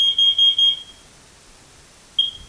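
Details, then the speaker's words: Carbon monoxide detector, test button pressed: four sharp high-pitched beeps in quick succession, a pause, then another beep; alarm works, detector operating. "If you wanted to test it, there's a small little button right here that you can press it to make sure that it works, so that's what we're going to do. Alright, so we know it's operating."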